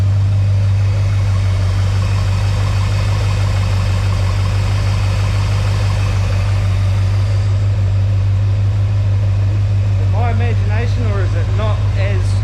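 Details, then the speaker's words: Chevy 350 small block cold idle after shimming mini starter and reconnecting solenoid wire at bell housing bolt: steady low idle, only slight intermittent chatter, noticeably smoother than before; owner suspects starter alignment, earlier suspected cracked ring gear or flexplate. "chattering when it was a bit quieter when it was cold so might definitely it's definitely not chattery like it was could that have been it all along like a just a starter alignment thing"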